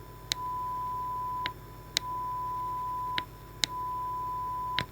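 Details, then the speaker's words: Repaired Brüel & Kjær 4231 microphone calibrator; a clean, steady high tone sounds in roughly one-second bursts, with a click as the opening is covered by hand, which it senses before switching off automatically, so it is working properly. "This is clearly the fastest repair ever ever, and um and it's just working, and the mic the the tool here is able to determine whether there is something inside the opening or not, and it will turn off automatically."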